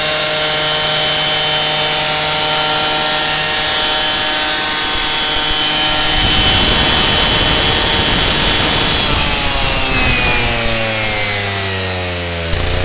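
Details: Lawnmower engine on 10% ethanol (E10) fuel, 53° outside, keeps racing with the spark plug wire unhooked, pitch climbing and surging unevenly; owner suspects hot spark plug and engine ignite the ethanol, dieseling run-on.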